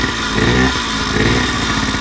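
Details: Homebuilt prototype scooter/moped small two-stroke, fuelled from a small temporary tank via hose after half an hour sorting a fault, buzzing at a fast, fairly even idle with slight waver, no misfire; running normally, carb and tank still to sort.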